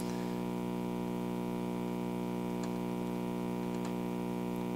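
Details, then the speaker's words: 1957 GE Model 875 "All-American Five" vacuum tube radio, first power-up on a variac (voltage in the 80s, about 140 mA): steady 60 Hz mains hum with faint static from the speaker, meaning the output transformer is okay; ripple is getting through the big brown filter capacitor, due for replacement. "nothing yet but it's a good it's a good sign we're getting hum from the uh from the speaker so that means the audio output transformer is okay"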